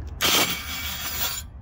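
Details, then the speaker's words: 2014 Scion FR-S 2.0 with the standard engine, no-start even after a new starter was fitted. About a second of harsh, high metallic grinding with no cranking rhythm: the starter is spinning against a loose flywheel ring gear. "El problema, ya definitivamente lo encontré, es el flat wheel, el aro dentado, está zafado."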